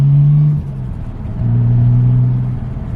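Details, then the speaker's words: Nissan R33 Skyline RB engine after fitting ProFlow LS alternator kit for voltage loss: clean rev blips settling back, no stumble; earlier low-rpm misfires gone, revving much happier. "Okay, so the screen froze again. I'm not entirely sure what that's all about, but the car is definitely revving much happier."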